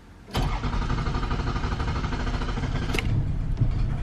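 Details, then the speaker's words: Toyota Camry with a rough idle and morning stalling, cranked right after throttle body cleaning for carbon buildup. Long slow cranking with no catch, because wet cleaner is still in the throttle body; wait a little and retry. "I'm just going to start it now and show you what happens when you try to start it immediately. So there you go, it's not starting, so you just got to wait a little bit and try again."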